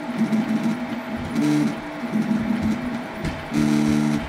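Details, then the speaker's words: 8-year-old Prusa i3 clone 3D printer with dated A4988 stepper drivers, stock firmware, printing at 40 mm/s before TMC2208/Klipper upgrade: loud tonal whines in bursts with each move; stepper motor whine from old drivers. "it is printing at 40 millimeters per second and it's loud hear this out"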